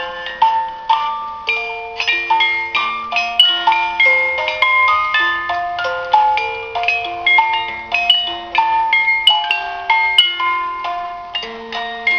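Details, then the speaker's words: Antique German music box alarm clock, probably from the early 1900s, reassembled after repair and running nicely, with the alarm tripped. Clear, evenly paced plucked notes play a steady tune with no drag or stalls, a normal music box alarm. "But anyhow, there it is, a music box alarm clock from Germany"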